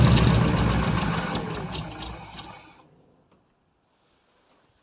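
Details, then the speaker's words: 1959 International B120 4x4 pickup, first cold start in about five years on snow, gas poured into the carb: engine fires, runs a couple of seconds, fades and dies. It isn't pulling fuel from the tank, so fuel starvation. "well guys you get that it does run I wish it would pick up gas of course not surprised that it's not pulling gas from the tank"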